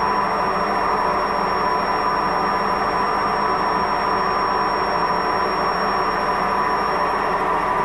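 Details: Washing machine during spin: continuous loud rushing roar with a rumbling edge, steady throughout; failed drum bearing.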